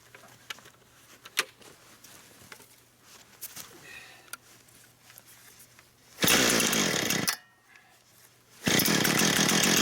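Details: Brand-new Husqvarna 460 Rancher chainsaw, first run, cutting wood. Quiet at first, then two strong, steady full-throttle bursts biting into the wood, pulling evenly without bogging. Healthy saw cutting normally.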